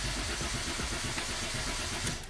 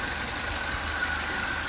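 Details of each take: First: Citroën C3 HDi diesel that died while driving cranks steadily about two seconds but never fires, no rpm signal on the LM327 scanner; crankshaft position sensor (CKP) problem, the eventual fix. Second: Citroen C3 HDi diesel that died while driving and wouldn't start, repaired crankshaft position sensor (CKP) fault from a cut wire: steady idle, even low clatter with no stumbles or misses; tensioner still needs replacing.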